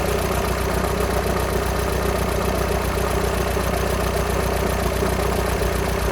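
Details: VW Sharan 7N 2.0 TDI common rail diesel (CFFB), cold start after new timing belt, injectors refitted and fuel lines drained without bleeding; steady fast light rattle over low idle note; owner suspects tensioner pulley, not engine, unconfirmed.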